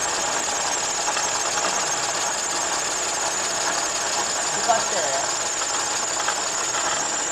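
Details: Toyota Zero Crown (S180) with a bad coolant leak that has overheated; on starting, a loud, thin, rapid clatter rides steadily over the engine, a hard engine knock whose cause is suspected but not confirmed.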